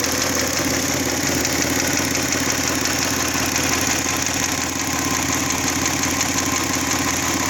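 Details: Hyundai/Kia G6EA engine idling with a quick regular ticking knock about three per second over the idle hum; internal engine knock, cause not pinned down.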